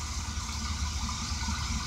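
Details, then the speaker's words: Chevy P30 RV after replacing distributor cap, rotor, ignition control module and coil, alternator now charging: steady low idle rumble, pitch unchanged with headlights on; smooth, healthy idle. "there we go it turns out in the lights it didn't really change the pitch changes"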